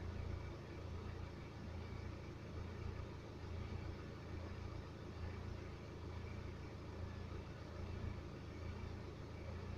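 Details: 2011 BMW 318d N47 diesel, 178k mileage, fresh oil and belt change, after about 10 minutes of driving, not fully warm: deep rumble surging and sagging about once a second, random unstable idle; owner asks about timing chain noise.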